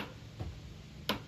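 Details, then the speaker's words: Honda HRX217HYA mower self-propel drive, spring ratchet key reinstalled after pinion gear work: two light, sharp clicks about two-thirds of a second apart as the wheel turns backward; ratchet freewheels and engages normally. "backwards and then forwards it stops you don't want it going forwards this way so that's right"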